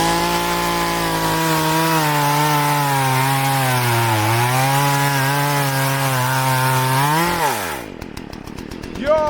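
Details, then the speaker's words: Poulan Pro chainsaw after sprocket and oil pump replacement, cutting wood: strong steady high tone barely dipping as the chain bites, then spinning down cleanly; cuts like a hot knife through butter; normal cutting. "that's freaking so easy. It's like a hot knife through butter."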